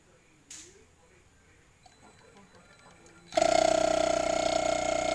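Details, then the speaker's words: Inverter refrigerator compressor that had seized and would not start, opened and found with water mixed into its oil; connected to power before welding, it starts with a steady hum and constant mid tone, running normally. "Oke. Kompresor sudah hidup. Sekarang langsung kita las saja."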